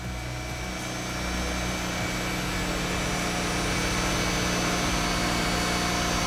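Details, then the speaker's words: Mazda RX-8 race car with newly installed JDM Renesis rotary engine, first start next day after capping a vacuum port, check engine light on; fast, smooth rotary buzz at steady idle rising slightly after starting, no stumble or misfire; normal idle. "she lives I think mostly only she turns on and turns off in idles for 10 minutes 15 minutes something like that"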